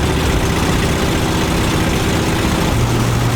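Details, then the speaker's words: 1977 motorhome at steady speed-limit cruise, warmed up on 91-octane fuel: heavy low drone with a lumpy, uneven undertone under road noise. It is not running smoothly; cause unknown. "Well, I'm going the speed limit, but as you can, I'm sure you can hear it. Not running great."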